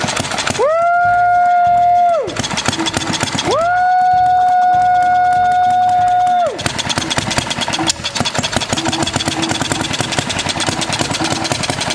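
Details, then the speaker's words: 1936 Briggs & Stratton WM washing-machine engine, first start before valve job and electronic ignition upgrade: loud steady tone, then an uneven single-cylinder chuff at three to four beats a second; running but missing, owner suspects the points. "that running kind of missing that might be because of the points"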